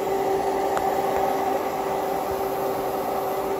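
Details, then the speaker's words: Inverter powered by a DIY 18650 7s (29.4 V) power wall under heavy load, about 45 A through the shunt: steady mid-pitched buzz as it strains to up-convert about 20 V near the low-voltage cutoff; considered normal. "you hear that buzz that's from the up it's about to hit the low voltage limit it really starts to buzz which is normal because it's struggling to upconvert 20 volts"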